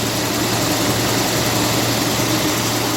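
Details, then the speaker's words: 1957 Lincoln Premiere, 368 cu in 300 hp V8, just restarted after sitting unused for six months. The idle is smooth and steady with only slight valve ticking, which the owner says is common after long storage. Normal idle. "here we are ticking away if you guys can hear it but it sounds pretty smooth right now"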